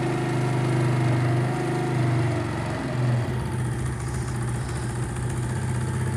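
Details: Motorcycle single just started after fitting a new ring and piston, warming up while oil burns off as smoke: a steady low thumping idle, even and settled, with no tapping or clatter over it.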